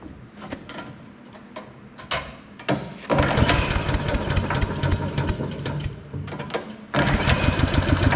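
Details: Briggs & Stratton engine on Agri Fab Mow & Vac leaf vacuum, sat about a year, after valve adjustment raised compression to about 25 psi and carb/fuel system work: a few pulls, fires and settles to a steady even putter, runs properly.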